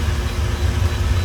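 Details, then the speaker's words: Hayward Universal H-Series H400FDP 400k BTU pool/spa gas heater after display control board replacement, called for heat on the spa side: deep, steady, even rumble, no knocks or rattles, burner firing and exhaust blower running; normal running. "You can't feel it, but there's definitely heat coming out of the heater, which is a good thing. These heaters working."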